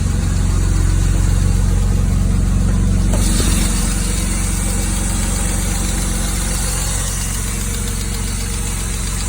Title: E36 knocking ticking sound